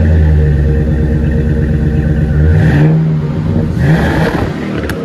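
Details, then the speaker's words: 2006 Chevrolet 5.3 V8 after exhaust leak repair (new manifold gaskets, broken bolts removed, both sides): smooth even revving, no ticking, exhaust all exiting at the rear; engine sounds healthy. "Sounds good. Thank goodness. It's all coming out of the back now. Perfect."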